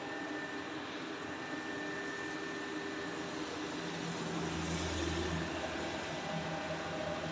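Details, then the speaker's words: Gas laundry dryer after repairing a shorted part that stopped the burner lighting: flame now lit, alarm silent, steady even hum with soft burner roar and no knocks or squeals; running normally. "Alarmnya sudah tidak berbunyi lagi. mesinnya sudah berfungsi normal kembali."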